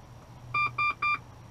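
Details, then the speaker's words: 1995-2002 Range Rover P38, EAS delay relay tested by jumpering OBDII port pins to pin 5 ground: relay clicks and three short even twin-pitched beeps, each about a third of a second; air suspension powers off, relay functioning normally. "and we should hear that really click and we're gonna hear the - beep yep so it's the same as removing that relay it's powering off the air suspension"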